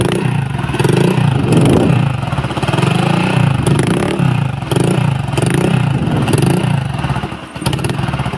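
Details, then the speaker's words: Honda Vario 125 (old model, KZR) that often stalls when hot and shows fault code 52: it runs rough, sputtering and surging unevenly, then dies; misfire and stall from a failed crankshaft position sensor. "Nah, ini berebat-berebat langsung mati ya. Ini seperti ini ya kendalanya, ini mati ya."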